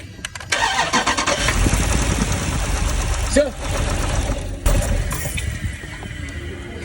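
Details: 2012 Jeep Cherokee 6.4L V8 cranks, catches and settles into a rough, uneven idle from a cylinder 2 misfire.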